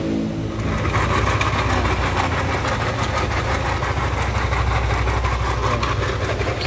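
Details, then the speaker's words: Yamaha Lexi scooter started and idling: very harsh, fast uneven clatter over the engine note, caused by a failed (broken) camshaft bearing. "seperti inian nah oke oke suaranya seperti itu sangat kasar sekali ngeri ya untuk kedengarannya"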